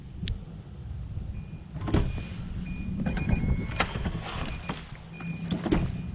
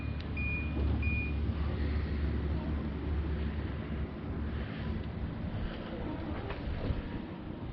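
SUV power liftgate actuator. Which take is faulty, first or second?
first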